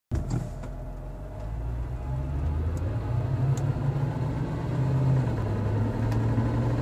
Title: C43 AMG ticking sound